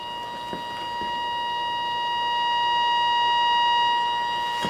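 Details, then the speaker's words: Leader LSG-15 AM signal generator radiating about 90 MHz into the FM antenna of an Elenco AM/FM-108K kit, converted to the 10.7 MHz IF: a clean, steady tone near 1 kHz with no dropouts, giving a usable signal through the IF. "and as you see we're getting a usable signal through the if"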